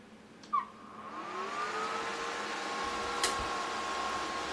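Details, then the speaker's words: Wine chiller, Warning Pro PC100, 12 V 5 A, secondhand, just switched on: the fan hum rises in pitch over a second or two, then holds steady and fairly loud; the cooling fan is noisy once running. "took me a moment to get it going trying to figure out the buttons but if you hear that it's it's pretty noisy inside of it"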